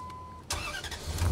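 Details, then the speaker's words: 2003 Dodge Ram 1500 with unusual starting issue, ignition switch wiring under test, key in Run: short crank, catches at once and settles to steady low idle; engine starts and runs. "all right it's in the Run position the engine's running"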